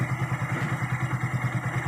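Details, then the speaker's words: Hero Glamour single-cylinder motorcycle after full engine rebuild by another mechanic, fixed by replacing a faulty bearing: engine noise now gone, even thump about eight beats a second, no rattle or grind; normal idle. "पहले sound ए रहा था वह sound अभी band हो चुका है देखिए जो है वो साउंड अभी बैंड हो चुका है"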